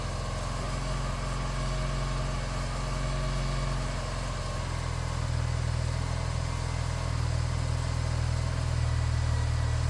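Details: BMW R1200C cruiser twin, starting first time after a DIY fuel pump replacement and refuelling: a deep, steady, even idle with a smooth low rumble and no misses or knocks, and no fuel leaks. Running healthily.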